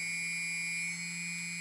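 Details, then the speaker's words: TBS Discovery build, one of the good G motors running on a table, vibration checked with iPhone iSeismometer app: clean steady high whine with an even low hum, no wobble or buzz, barely any vibration felt through the table. "none vibrations and if I put my fingers on the table I can feel that it's running quite nice"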